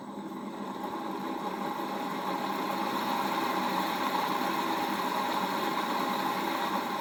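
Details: 1HP three-phase motor for Bridgeport mill, apparently wired for low voltage, first run on VFD at low variable speed in forward, before bearing replacement: rising hum with rough gritty rumble as it comes up to speed; appears to work electrically but bearings worn.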